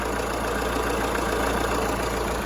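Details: Fiat Toro diesel after replacing faulty freewheel alternator pulley and belt that caused the noise: engine idles smoothly and evenly, no squeal, chirp or rattle from the belt drive; normal idle.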